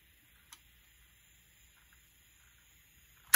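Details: 1960s Electra TC-505 reel-to-reel tape recorder, playing after cleaning and repair: faint even motor hum and light hiss with no squeal or flutter; smooth quiet playback.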